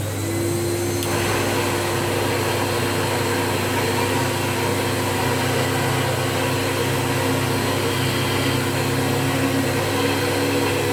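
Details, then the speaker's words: 1987 Hoover Turbo 300 power nozzle: steady motor hum with a rough, grumbling undertone from a worn-out ball race bearing. Worn motor bearing. "you can hear that bearing uh the ball race bearing is is very grumbly so i mean there's nothing you can do about that on it it is what it is because it's just it's just use basically that bearing is sort of wearing out"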